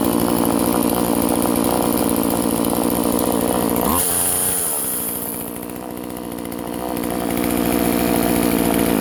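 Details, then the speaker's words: Vintage Husqvarna 136 chainsaw, California emissions model, after drilling holes to open its plugged muffler (carb also replaced): high, even buzz dipping when throttle drops near four seconds, then picking back up cleanly; now runs properly. "so i got the exhaust opened up just drilled a couple holes in it basically and so now check it out now she actually runs"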